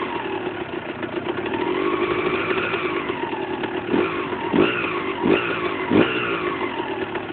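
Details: Husqvarna SM 125 two-stroke: buzzy idle with sharp throttle blips and a light rattle that follows revs, from a loose crankshaft nut.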